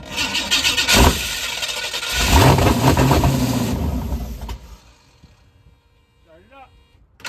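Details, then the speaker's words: Ford truck V8 with performance cam, first start after fixing spark wires and fuel (40 psi fuel pressure): cranks and catches into loping uneven idle, about two and a half lumps a second; lumpy idle from cam, not a fault. "[Music] it's got a cam okay go [Music] ahead turn it up"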